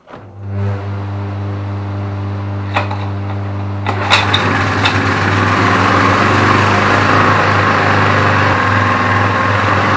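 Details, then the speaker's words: Briggs & Stratton vertical-shaft generator salvaged from the tip, running an 850 W drill plus about 200 W floodlight: steady single-cylinder drone holds pitch as load comes on, no surging or hunting; runs normally under load. "Tôi không thấy nó có vấn đề gì cả. Tôi không nghĩ nó quay khá ổn, nhưng có vẻ như nó chạy máy khoan rất tốt, đó là 850 WS."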